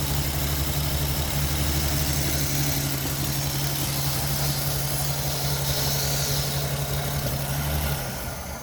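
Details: Ford XP Falcon engine, revived after 35 years, running on a hand-primed carburetor bowl with fuel not yet hooked up: steady, even low idle with smooth rumble and no misses, then fading out as the primed fuel runs dry.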